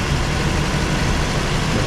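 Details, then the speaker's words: 1961 Ford Falcon station wagon, 170 ci straight-six, restarted during first revival; steady low rumble with slightly uneven idle, running too lean, owner suspects a fuel filter is needed; lean running. "okay we're starting it back up all right here we go so now it's too lean not enough"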